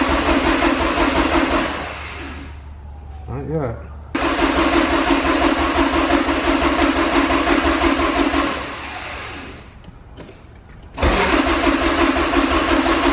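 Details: Porsche 944 that sat 10 years, freshly fuelled, cranked with the DME relay deliberately pulled to build oil pressure: steady starter churn about three beats a second with pauses, never catching. Cranking with no fuel or spark; it fired once the relay was refitted.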